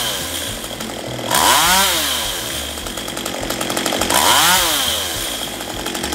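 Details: STIHL MS192TC two-stroke chainsaw that is hard to start and unstable: revs up and drops back twice in six seconds, pitch swooping with a ragged edge; carburettor adjustment applied, possibly worn out.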